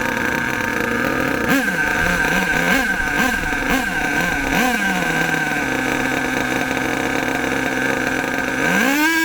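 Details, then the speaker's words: HPI Savage nitro RC monster truck engine, warmed up, high-speed needle turned in too far: buzzy engine surges and sags through quick rev bursts then hangs unevenly; too lean, hesitating from lack of fuel. "Notice that sound. It goes too lean, not enough fuel."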